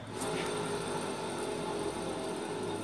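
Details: 2014 Citroen C3 1.5 8V Flex: a steady low drone and growl runs under the car's noise, the hum of a worn wheel bearing judged dangerous and due for replacement.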